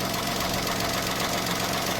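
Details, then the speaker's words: Car after new aftermarket catalytic converter fitted, poorly sealing joint sealed with exhaust gum: steady, even idle with smooth exhaust note and no blowing or puffing at the joint; no exhaust leak. "so as you can hear there's literally no blowing"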